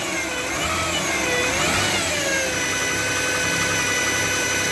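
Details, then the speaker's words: 2007 Chevy Equinox at idle: high whining tones rising and falling with engine speed, from the alternator or adjacent idler bearing; alternator, idler pulley and belt were replaced; alternator bearing whine. "and she heard a whining noise coming from the engine so we're gonna start it up and listen for it there it is and it's coming from either the alternator or the idler bearing next to it so"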